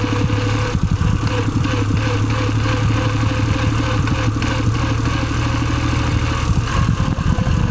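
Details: Suzuki Celerio at idle: rough rubbing chatter under the steady engine beat; friction noise from the gearbox, cause not yet known.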